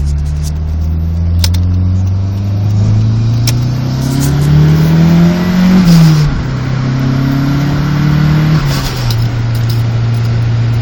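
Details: Petrol engine idles steadily, takes two clean rev blips, then settles to an even idle, after a weird misfire was fixed by fitting a replacement coil and module swapped over from another car.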